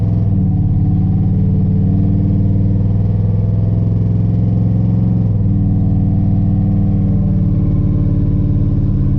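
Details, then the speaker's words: Chevy S10 with 5.3 V8 after new plug wires, some new plugs and cleaned battery terminals: heavy low drone on road test under throttle, uneven lumpy pulse and stumble; still misfiring, no throttle response, cause unknown. "it still sounds like it's misfiring i don't think i fixed it yet"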